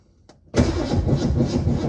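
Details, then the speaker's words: Abandoned 1970 Ford Mustang V8 revived after sitting for decades, replacement starter fitted, fuel from a jug on the hood; brief labored crank, then it catches abruptly and runs rough and loud; ignition timing still too far advanced, hard start. "still too much timing. Yeah, we need to adjust that. Come on. There we go. Yeah, still got a little too much timing."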